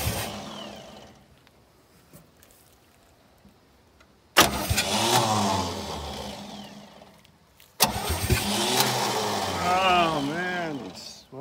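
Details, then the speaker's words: 1967 Chevy C-10 being revived: with fluid poured into the carburetor float bowl, the engine catches abruptly, revs and wavers a few seconds then fades, twice; the starter seems weak and the owner suspects it needs changing; throttle worked awkwardly from the side. "we got to fire a little bit that starter's going now it's a little hard to work throttle from over on that side"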